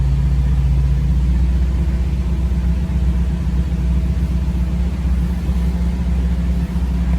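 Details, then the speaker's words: 1984 Jeep CJ7, frame-off restored, with always-active rear lockers: starts easily and settles into a steady, even low idle rumble with no knocks, ticks or misses; engine sounds healthy. "Okay. All right, let's start it up and see how she sounds. She starts very nice and easy."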